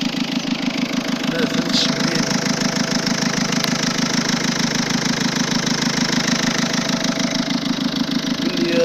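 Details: Peugeot 207 1.6 HDi diesel idling steadily with a sharp, even tapping on every firing pulse; abnormal knocking noise at idle, exact source unclear.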